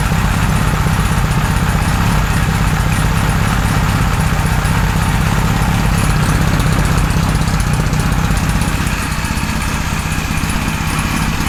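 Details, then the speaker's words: 1978 Kawasaki Z1-R four-cylinder on the stand after re-jetting (20 and 117.5) and carb re-sync on a Carbtune Pro: smooth, even idle about four pulses a second, no misses; normal idle, carbs evenly balanced. "but that's pretty damn good um I like that a lot we've got uh pretty even balancing now"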